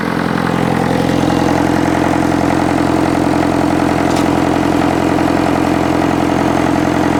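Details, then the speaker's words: Diesel International tractor started after sitting in the weather for years, air filter cover off: steady, even idle with a little intake hiss, running clean and smooth, just starting to push out some smoke. "it's running pretty clean starting to starting to Chum a bit out now but it's just magnificent it sounds great"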